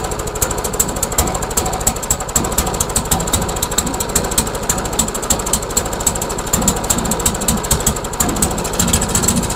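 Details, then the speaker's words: Trash-found MTD Yard Machines mower with a new carburetor and gas tank, bail held: fast, harsh, lumpy, uneven running with no smooth note, as if heavily over-choked; the owner wonders whether the governor is bad. "all right let's give it another try weird it's almost like it's choked like crazy"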